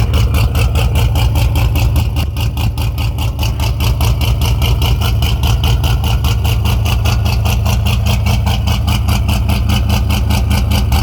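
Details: Fox-body with SLP exhaust, cold start after a junkyard 3G alternator swap; deep steady V8 idle with even exhaust pulses through loud pipes, no knocks or misses; healthy cold idle.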